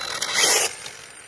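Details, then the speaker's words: Redcat Racing DragBug conversion RC car launched hard and wheelieing: sharp half-second rasping grind under hard acceleration then drops away; pinion gear slipping, owner suspects mesh wrong or something moved. "sounds like something's a little funky with the opinion right now"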